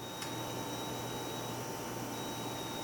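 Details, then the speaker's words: Hard drive after its tenth drop in a drop test. It seems to connect but never shows up. Faint steady beep over a quiet hum with no spin-up whir; the motor feels like it is struggling to turn and vibrating more than normal. "making a little tiny beeping noise just like the LaCie hard drive was doing after it died and whenever I feel it it feels I can feel like it feels like the motor inside the hard drive is it is it's feels like it's turning but it's having a really hard time"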